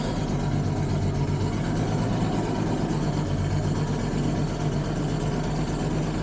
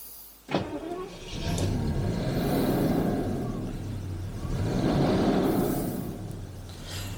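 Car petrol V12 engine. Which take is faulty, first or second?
first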